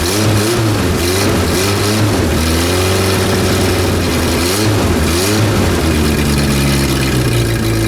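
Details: Renault R10 after 20+ years sitting: even idle rising and falling cleanly through several revs, no misses or knocks; no blue exhaust smoke, healthy.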